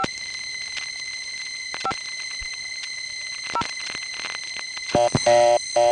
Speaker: see what i mean that sound pretty much gets into everything from 294 the panel in this building has that same sound but it's at a lower level here